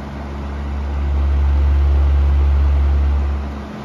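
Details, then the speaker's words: Amazon Basics F26-16A air circulator floor fan on high speed: loud deep droning hum swelling and fading three to four throbs a second; vibration noise, cause unclear, owner unsure if oil would help; to be cleaned and serviced. "I don't know if a little bit of oil would take care of some of that vibration or not could go either way I don't know"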